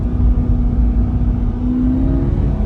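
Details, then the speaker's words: 2020 Chevrolet Corvette C8 with 8,000 miles, codes P0700 transmission control module: engine revs and holds a steady, slightly rising drone with no shift while stuck in third gear in drive; dual-clutch transmission not upshifting, even gears won't engage. "Like, can you hear the car revving? Like, I can't go anywhere."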